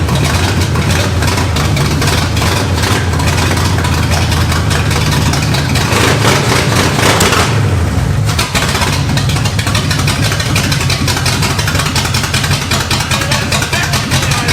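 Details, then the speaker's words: 1969 Pontiac GTO Judge V8 pulled from a barn: uneven, lumpy idle, popping and spitting as cylinders drop out and catch again; misfire, owner suspects plugs and wires. "Yeah, you can hear it popping and spitting and picking up cylinders."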